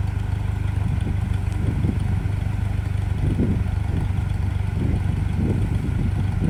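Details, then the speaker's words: 1951 Ferguson TEA20 tractor cutting grass with a Befco rear 6' finish mower: an even, low, throaty run with a steady beat and no knocking or grinding. A great-sounding old engine running normally. "Great sounding old machine."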